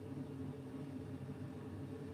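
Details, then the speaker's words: Bryant 311JAV two-burner gas furnace, about 15–16 years old, heard as the burners fire: soft, steady low rumble with no popping or roar, normal healthy burner operation. "We have ignition. Sound of victory right there."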